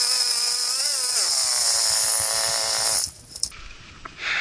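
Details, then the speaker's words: Four-stroke weed eater running old gas: high buzz dips in pitch as the line loads up, then recovers and cuts out, bogging under load; owner found the trimmer head, not the engine, was slowing it. "it wasn't the wasn't necessarily the engine it was the head that was slowing me down"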